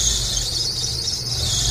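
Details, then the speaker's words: Engine on a Holley carburetor (Shadow/Spirit/Dakota), starting hard and nearly stalling, throttle held open: a steady piercing squeal of the drive belts over an uneven rumble. "De hecho, ahí se oye el rechinido de las bandas. Entonces, ahí estoy acelerando."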